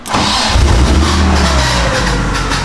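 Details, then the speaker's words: BMW E36 drift car with stock engine, being prepped for a 1JZ VVTi swap, hot-wired with fan, fuel pump and starter switches after the key ignition broke: short crank, catches at once, flares, then settles to a steady idle; normal start. "now I hit all 12-volt off cars off so like that I just wired up my car without my ignition because my ignition broke"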